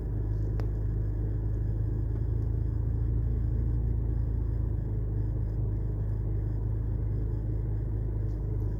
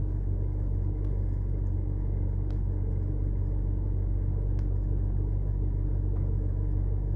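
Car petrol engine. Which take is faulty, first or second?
first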